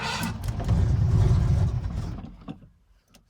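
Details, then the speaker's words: Cold 1982 Ford carbureted V8 just after fitting a fuel pressure regulator (about 6.5 psi): engine catches with deep rumble, falters and dies, then sharp pop as it backfires through the intake; cold start backfire. "she's cold she's a bit cold it just backfires the intake yeah she is cold though not gonna lie"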